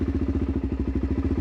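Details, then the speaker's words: 2006 Suzuki DR-Z400SM single after carburettor swap (52 pilot, 155 main jets): crisp, evenly spaced idle thumps with no misses; ticking over sweetly. "Ticking over. Absolutely sweet now."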